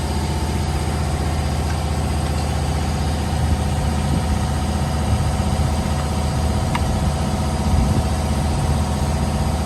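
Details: 2015 Holden/Chevrolet Captiva after replacing the faulty exhaust camshaft solenoid (old 1 megaohm, new 10.9 ohms) for code P0013, DTC cleared; smooth, even low idle with steady beat, no tapping, hunting or misses; normal idle.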